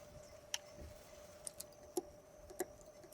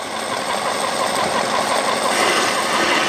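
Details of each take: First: Chemical transfer pump on a grain farm, which worked when stored but sat a long time, is switched on: a few sharp irregular clicks over a faint hum with no motor spin-up. The pump clicks but will not run. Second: Chemical transfer pump started dry and flushing with water: steady even motor hum with hiss and gurgle as it draws water, priming quickly and running smoothly.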